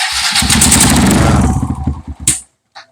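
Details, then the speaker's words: Kawasaki KLX 150 bored up to 175cc, smoking after trail riding: single revs with a rough, chuffing top-end patter, then cuts out; compression leaks at the head with a little smoke, blamed on head bolts working loose. "di bagian sini terlihat kompresi atas kakinya bocor Nah ada asap sedikit ditandakan si posisi headnya"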